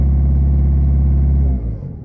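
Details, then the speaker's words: Citroën C3 Picasso with an injection problem and no fault codes, read with a Launch X431 scanner: engine held at raised revs with a deep, slightly uneven drone, rougher than when cold at start; cylinder corrections uneven (+16 on one), rough running. "j'accélère ça tourne pas très rond comparé au début quand c'était à FRUD ça tourner rond"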